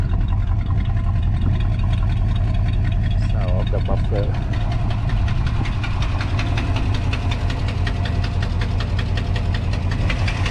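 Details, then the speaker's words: 1982 Chevy C10 5.0L V8 at low idle: sharp, rapid ticking over the rumble from the right bank; broken exhaust manifold gasket leaking, hot gas damaging spark plug insulators; planned fix is new gasket, spark plugs and valve cover gasket. "the ticking noise came from the right side right [Music] Bank put the on the right side of the right s like a a noise or knocking noise could be leaking ex manle or maybe leaking at a muffler"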